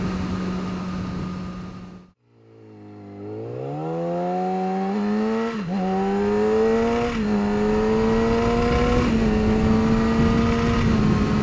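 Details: 2009 Yamaha R6 inline-four revving to 7–8k rpm with a gritty buzz over the engine note; caused by a loose washer between the crash cage and engine mounts, sound gone once removed.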